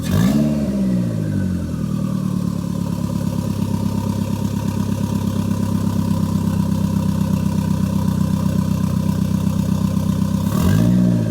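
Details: Toyota MR2 with Gen5 engine swapped in from a Caldina, first start with no exhaust fitted: loud open-pipe roar, engine swings up, holds a steady fast pulse about ten seconds, drops back cleanly; normal free revving.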